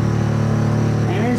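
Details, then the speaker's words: Running shower plumbing: loud steady low droning rumble with pitch wavering and sliding; suspected water hammer, possibly from a slightly cracked or clogged fixture, likely on the cold water supply. "this ladies and gentlemen a prime example of West called water hammer the mound is slightly cracked are slightly clogged"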